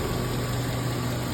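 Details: Chevy Silverado 1500 5.3-liter V8 4x4 after replacing failed hydraulic lifters on both cylinder banks; smooth, even low idle rumble with no stumble or skip, check engine light no longer flashing, normal idle.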